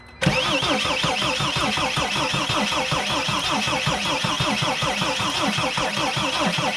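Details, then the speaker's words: Mercedes Sprinter no-start with a new fuel tank and fuel pump: steady, fairly slow cranking for seven seconds with no firing as the battery weakens, with a warning blinking; it needs an overnight charge. "the battery is getting weaker and it's blinking here I'm looking let's just wait a bit a little bit I'm gonna try again blinking seems like the battery is kind of it's kind of weak right now"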